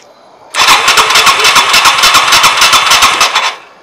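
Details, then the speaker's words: Yamaha Timberwolf 250 ATV after long storage, ignition off so no spark: strong regular cranking about three and a half pulses per second, no grinding; starter works, circulating oil. "What I want to do is actually crank it over, make sure it starts all the way and everything works. Just get some oil moving around in there. Pushing the button for the starter. That's good. That means starter works."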